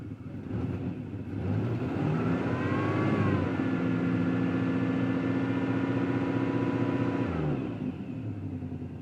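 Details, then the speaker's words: 1992 Firebird 3.1 V6, stock cam, new lifters, timing 12 degrees, cold: idle with uneven loping pulse about four per second, rising briefly with throttle; runs rough as if fuel-starved, owner thinks fuel pump and ignition module fine, cause unclear. "Anyway, it seems to run like it's starved on fuel or something."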